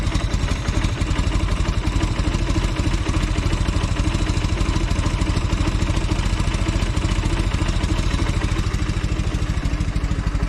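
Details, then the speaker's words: Velocette LE after tweaking clutch and points and resetting carb needle to middle of five positions: steady even low putter at idle, no misses or ticks it used to have; runs smoother, normal idle. "Seems a lot better. It sounds like it's running smoother at idle as well. It always used to have a little bit of a miss or a tick to it sometimes. So that seems a lot happier."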